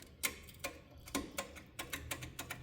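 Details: 1972 Gravely 816 tractor with Kohler Command 18 engine, shop battery fitted, no parasitic draw: key gives irregular sharp ticks, a few per second, but no cranking; previously seized key switch suspected faulty, later it did crank.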